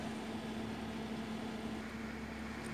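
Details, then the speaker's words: Glacier G55 12-volt fridge, mic up close on compressor and condenser, quiet steady hum with no rattle or clicking, no error code; normal running. "up close again to get the noises and hopefully you can hear that there's no inappropriate or undo annoys and that's about it"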